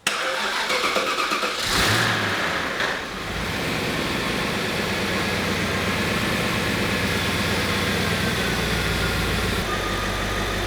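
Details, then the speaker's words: 2001 Audi S8 D2 4.2 V8 after a couple of minutes running from a start: low rumble rises and falls in an uneven surging idle, with a slight whine suspected to come from the alternator. "Okay, so it's been running for a couple of minutes, and early observations, you probably heard the surging, and it sounds like we've got a bit of a whine coming from the alternator."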